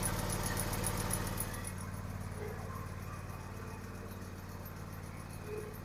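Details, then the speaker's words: John Deere X590 lawn tractor at idle, microphone under the deck: a faint, fast, regular high chirping rides above the engine. Suspected drive-belt idler pulley, leading to tensioner pulley replacement. Idler pulley bearing noise. "Sounds like maybe an idler pulley from the drive belt. Not quite sure."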